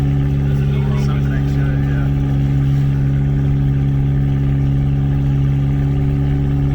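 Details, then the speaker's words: Turbocharged 2004 Chevrolet Cavalier, untuned, sat four years, on its first drive with the turbo, running loud: a steady, even low drone with no misses or knocks as the engine smooths out. "yeah it's smoothing out now"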